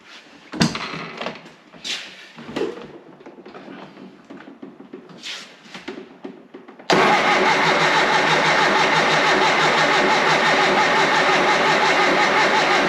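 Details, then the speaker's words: Triumph Spitfire's first start attempt, with fluids checked, fresh fuel in the carbs and a jump pack connected: steady starter churn at about three compression beats a second, no catch. Cranks but won't start. Spark is confirmed afterwards. "not a good start so far all right let's check if it's got a spark"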